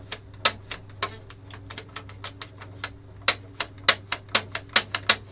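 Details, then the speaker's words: Kyocera FS3820N printer, dirty inside, feeding paper: irregular sharp clacks, several a second, as the paper exit guide sticks instead of moving freely; owner thinks it may need cleaning or lubricating. "So that thing is supposed to keep the paper in line as it comes out, but if that is actually getting stuck right that way, then you hear that clunk."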